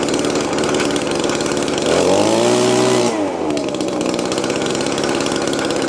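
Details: Old Echo two-stroke blower after the carburetor lever hang-up that held it at high RPM was fixed: it buzzes steadily, blips up and settles back cleanly without stumbling. It runs fine.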